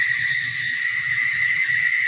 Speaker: that squealing is awful and it's not moving very fast either oh my oh